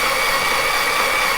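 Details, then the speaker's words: Vauxhall C20XE red top engine on a dyno with 45mm Dellortos, cranked on a jump pack to prime oil: even, steady starter whirr, slow turnover, no knocks or grinding, healthy cranking; about 10 rpm, oil pressure builds to 35 psi. "Okay, we've got the jump pack on, so hopefully we'll get a few more laps out of it."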